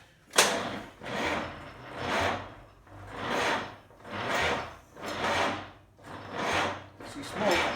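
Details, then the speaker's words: 1947 GMC engine being cranked with the throttle opened slightly: slow, laboring cranking that never catches. Owner thinks the starter isn't spinning it fast enough rather than a dead battery; cause unconfirmed. "I know sounds like a dead battery right but like the only thing I can think of is that the starter is just not spinning it fast enough"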